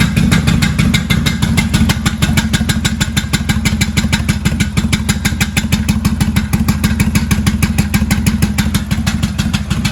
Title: 1995 Kawasaki Vulcan VN800A Knocking sound from the engine.